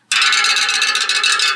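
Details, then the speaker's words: Bicycle wheel spokes: bright, clear, evenly ringing metallic pings; properly tensioned spokes, unlike the dull thunk of a low-tension wheel. "yeah that spoke tension sounds pretty good it's a kind of a musical sound"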